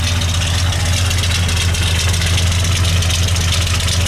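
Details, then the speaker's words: 1972 Ford F250 Highboy, 390ci V8, four-wheel drive: a steady, even idle with a low, smooth burble and no knocks or misses. It idles high when first warming up, and a tap of the gas brings it back to normal idle. "Has a high idle when it first starts to warm up the motor. Tap the gas, it'll go back down to normal idle."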